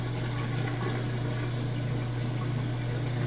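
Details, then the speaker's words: Whirlpool top-load washer moving from wash to rinse, lid switch bypassed and lid open: steady low pump hum under rushing water, even and unbroken; normal drain before spin. "however since I've got that bypassed I can show you draining that water out nice and fast"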